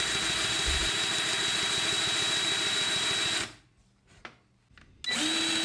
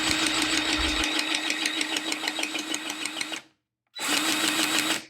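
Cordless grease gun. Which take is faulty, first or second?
first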